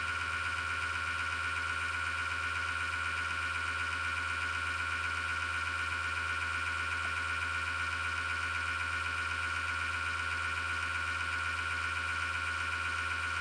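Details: Desktop PC power supply fan with a worn, grinding bearing: steady rough whir with high ringing tone and rapid flutter, case vibrating; grinding returned after five years, began after slowdown with clicking or rattling; PSU make uncertain.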